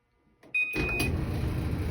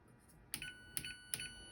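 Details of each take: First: Old Whirlpool Duet dryer after installing a roller, pulley, belt repair kit without replacing the scratched bearings; steady low rumble, even drone, no clear knock, somewhat quieter but same noise remains; dryer running noise. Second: Whirlpool Duet dryer, just plugged back in after replacing rollers, pulley, belt and related parts from a repair kit: three bright, evenly spaced chimes about half a second apart as the control board powers up normally.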